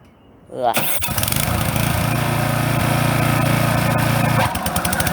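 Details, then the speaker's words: Brand-new Toro TimeMaster 21200 electric-start mower, first start: electric start catches quickly into steady even single-cylinder drone, first blade engagement (expected delay), settles again; normal running with blades engaged. "just want to hear how it sounds when it idles and then I'm going to let you hear how it sounds when you engage the blades initially it's gonna be a delay because it's the first time I've engaged the Blitz"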